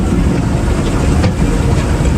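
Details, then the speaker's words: Bayliner 175 Bowrider Mercruiser inboard that pinged on acceleration from timing not retarding, after fitting a new ignition control module (timing working "sorta"), cruising at idle on the lake: steady low burble under wind and water wash, smooth, no knock; healthy. "We got the timing all working, sorta. I'm gonna have to get this out of the water, but we're just cruising and idle."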